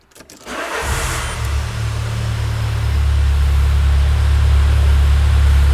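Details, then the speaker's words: 2000 Peugeot Partner brought in with a crank no-start, with an ERA-brand sensor installed: the starter catches within a second and the engine settles into a steady, even idle. It starts normally. "so let's see what happens and absolutely no problem let's try again"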